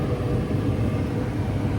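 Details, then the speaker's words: Home furnace after gas valve replacement: deep steady roar of the lit burner with no sputtering; valve ignition timing slightly late; fault traced to heavy wiring weighing on the control board. "Okay, now the timing for this gas valve that I got is a little off, but right at the end it should light. There it goes. Boom!"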